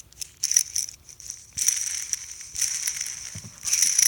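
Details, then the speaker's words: Racing Mercedes 300SL rear axle (3.64 ratio) on the bench: a hand-spun differential bearing gives gritty, rasping rumbling bursts. The bearing is worn. "hear that rumbling? Okay, we don't like rumbling. Same with the other ones."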